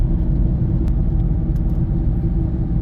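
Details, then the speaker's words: Loud, steady low rumble in the cabin while driving at easy acceleration, from the right front wheel bearing; it gets lighter when drifting or turning right and louder drifting left. "like it's right front. It's pretty loud. I drift off to the right, it gets lighter. Drift to the left, it gets quite loud."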